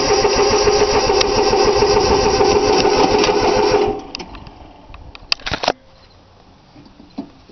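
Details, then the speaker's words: 3-cylinder Yanmar diesel cold start with more glow plug time, rapid steady cranking for about four seconds that never fires, then stops; owner forgot to bleed the fuel lines, it usually starts right up. "Alright, guess a little bit more glow plug. She ain't wanting to start."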